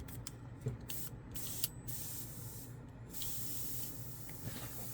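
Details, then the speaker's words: Badger 105 Patriot airbrush, heavily used: continuous airy hiss with the trigger untouched, coming and going slightly; air valve sticking open and leaking, won't shut off. "the air valve has gone on it it won't to release and sometimes it's just letting air constantly flow through it"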